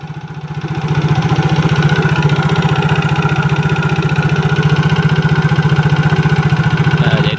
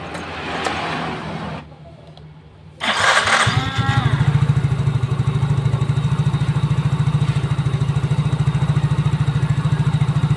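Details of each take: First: Yamaha Mio GT scooter idling with a fast, even, harsh rattling clatter that carries toward the rear like a CVT noise; mechanic suspects worn piston or cylinder block before checking the CVT. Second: Mio GT scooter after rebuild for a harsh noise suspected from cylinder block or piston: starter whirs, engine catches and settles into a steady, even low putter with no knocks or rattles; healthy idle.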